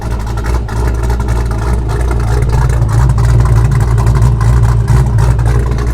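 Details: Ford Foxbody Mustang after a new 255lph fuel pump and -6AN line install: strong, even low rumble holding steady revs with no misfire, ticking or stumble; healthy, though a check engine light is on.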